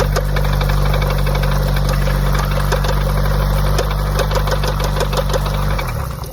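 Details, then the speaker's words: Nissan Silvia S14 SR20 on E85, failed after a short drive: rough idle with uneven top-end knocking about three beats a second; camshaft found scored and a lifter stuck closed, suspected cause, to be checked by removing the cam. "結構ここのキャムシャフトの部分がすごい今傷ついてて、で気づいたのはここのリフターがなんかずっと閉まってて"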